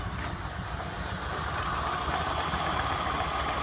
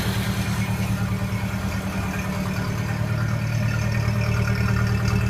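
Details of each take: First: Early 1928 Ford Model A Tudor sedan, warmed up after a drive, after installing new Aries muffler exhaust: steady low burble at slow even idle, soft uniform exhaust note, no leaks; sounds great. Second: Early 1928 Ford Model A Tudor sedan at idle, not fully warm, on the existing reproduction muffler before replacement with an Aries system: deep, even low putter with a raspy, breathy edge, a slight leak at the muffler clamp.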